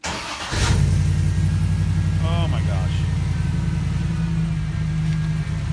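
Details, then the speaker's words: 1998 Jeep Wrangler TJ with 5.3 LM7 V8 swapped from a 2003 Chevy Tahoe, first start after fixing fuel pump and wiring: catches and settles into a steady, even deep idle, no knocks or misses, then throttle blips; normal idle. "sounds so good here's my throttle listen here"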